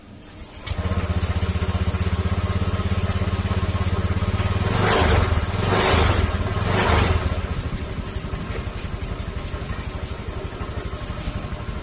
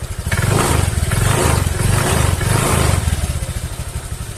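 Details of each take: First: Honda Vario 150 scooter started and idling, with an even putter and a faint steady hiss from the CVT area at idle; the CVT cover is opened next to find the cause. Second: Honda Vario 150 scooter revved after the CVT cover was opened and serviced for a hissing noise at idle: engine runs smoothly, rising and falling evenly, knocking no longer heard; normal revving.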